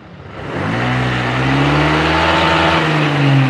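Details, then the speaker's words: Honda Vario that bogged when cold, now repaired: from cold start revs pick up quickly and cleanly with no hold-up, stumble or hesitation; running normally. "bahwa peningkatannya itu cepat nggak ada ketahan dari suaranya udah sembuh Pak normal"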